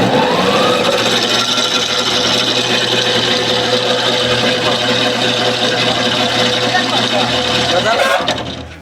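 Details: E-rickshaw rear axle making a cut-cut knocking noise: a rough, busy mechanical clatter with an uneven knocking, pointing to a worn differential pinion gear; a wheel was rubbing and noise persisted inside, so the motor was removed for inspection.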